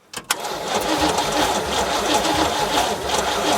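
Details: 1973 GMC square-body farm truck, small-block Chevy V8 (badged 350), parked over 20 years: starter churns engine steadily but it never fires, no spark seen; ignition points need sanding/cleaning.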